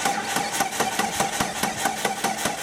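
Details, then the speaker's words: 2004 Jeep Grand Cherokee no-start, cranking while scoping the cam sensor on a nearly dead battery: sluggish, evenly spaced chugs about five per second that never catch. "this will be my cam sensor waveform and my battery's about dead so go ahead and crank it"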